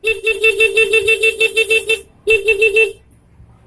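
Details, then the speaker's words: Yamaha Mio/Jupiter horn after repairing the left handlebar horn switch, tested before refitting the casing: loud, clear mid-pitched beeps in quick bursts, starting and stopping cleanly, louder than the earlier squeaky, choked, muffled sound; the horn works properly. "Suaranya juga berbeda, kan, Bro? Lebih keras."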